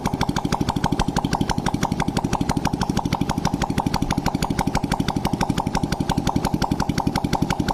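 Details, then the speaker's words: Honda Blade motorcycle after new boring and head fitted to cure oil smoking, exhaust removed: crisp even popping at a steady fast idle; engine fires cleanly, normal idle. "Hai mesin pun suaranya lembut berarti permasalahnya fix di bagian knalpot tinggal ya"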